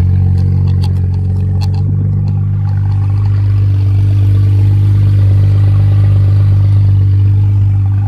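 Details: 2010 BMW 535i MSport, 174k miles on chassis, replacement engine under 80k after original spun #2 bearing; first start after sitting, fires and settles into a smooth, deep, even idle with no knocks or misses: normal idle.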